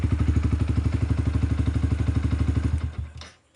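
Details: Yamaha R15 V2 that would not start, with the faulty relay found and bypassed: crisp, evenly spaced idle beat of about twelve pulses a second, no misses or clatter, then a clean shutdown. The engine runs healthy.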